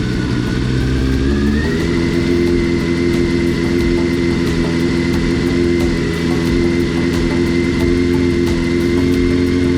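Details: Honda CBR400RR NC29 barn-find bike, first start during restoration for an Isle of Man road race; steady even running with a small rev rise partway, WD-40 burning off. Normal running.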